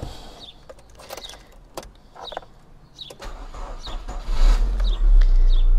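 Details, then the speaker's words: Used car battery destined for scrap, under 12 V at rest despite solar panel, tested with analyser during cranking: starter turns slowly, about three and a half labouring turns a second with dragging whine; voltage dropped to about 6 V; weak battery. "słychać na pewno troszeczkę nie dobrze kręci już silnik Dlatego robię ten test"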